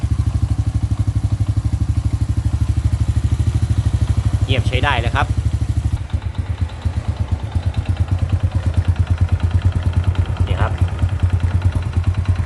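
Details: Honda Dream motorcycle after engine rebuild for abnormal noise, with new connecting rod and all internal bearings replaced: even steady idle thump about three beats a second, no knocking or clatter; runs smooth and quiet.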